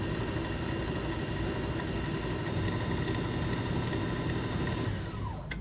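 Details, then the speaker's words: Good used low-mileage OEM Honda S2000 alternator spun on a parts-store test machine: high whine pulsing about three times a second, then pitch drops and it stops abruptly, binding and locking up; same happened on the car, stopping the motor; something loose inside suspected. "Yeah, I don't know what it is, but it happened on the car. Like it just stopped the motor. Yeah, it just did it again a second ago. Could be something loose in there."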